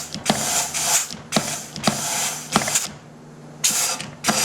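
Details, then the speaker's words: GM 6L90/6L80E transmission rebuild: sharp bursts of air hiss about once a second as clutch drum is air-tested, air escaping past new sealing rings, which leak. "A lot of air noise. I want to make sure you see that. And you can hear the noise coming out of here."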